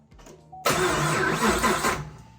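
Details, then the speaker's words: Slow, heavy cranking of just over a second that sounds dragged down on an LS3 Chevrolet Camaro, at first start after a Texas Speed BFD cam swap. The battery is weak and coil packs are not yet connected. "we're going to go ahead and fire it up battery's a little bit weak I'm going to hook the coil packs up we're just going to have to fire it up cuz the battery's weak and I don't have enough battery to crank on it and really get a lot of oil pressure"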